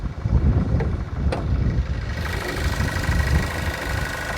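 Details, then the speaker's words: Car inspected at auction with the hood open, after a rev test showed a lot of water from the exhaust: a low, even idle rumble with a couple of handling knocks and no misfire or knock; it sounds fine. "But I mean, it sounds like it's running fine. Yeah, no, it sounds fine."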